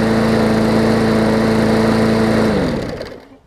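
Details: 2014 Bolens push mower with Briggs OHV engine, after fitting the correct spark plug and replacing the missing carb jet ball plug: steady, even drone at constant pitch, no misses or knocks, smooth wind-down at shutoff; runs well.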